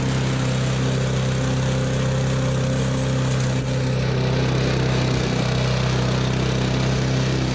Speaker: She runs. Wow. Mint. That was easy.